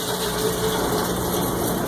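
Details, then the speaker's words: Cumberland granulator after grinding copper wire, switched off: steady, even whir of rotor coasting down over about a minute, no knocks or grinding; normal spin-down. "So we're going to shut her off. And it takes a few minutes. The light went out when we push the button. Takes a minute to wind down."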